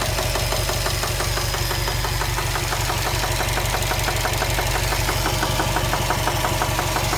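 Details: 2015 Subaru WRX STI at idle after a 2-3 mile drive home: sharp, even knock about three a second, locked to engine speed, sudden onset with no warning lights; cause unknown.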